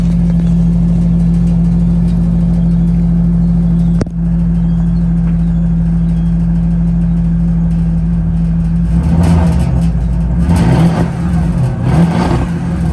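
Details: 2006 Porsche Cayenne Turbo S, bought wrecked at auction as a non-starter, jump-started: smooth steady idle with a low, even hum, then a couple of clean throttle blips near the end; engine sounds healthy.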